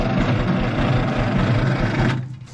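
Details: 1950s Galion 503 motor grader, sat 10+ years: slow, labored cranking with even thumps about five a second for two seconds, then it stops; the starter seems to be struggling. Cause suspected, not confirmed.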